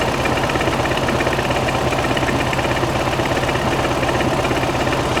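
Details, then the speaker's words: 1969 VW Beetle air-cooled 1600cc with dual 34 carburetors, new exhaust, freshly installed, carbs just adjusted: steady even idle with faint rhythmic shake, better than before; owner unsure of engine internals, ratio rockers add cut; acceptable normal idle. "Sounds good. I'm all right with it. It does have some shake, but like I said, I don't know what's in I don't know what's in the engine."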